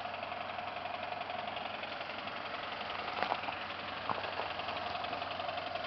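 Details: 1995 Ford Taurus SHO with semi-blown engine, spun bearings: quiet idle with faint uneven knock over a thin hiss, tired bottom end; engine knocking.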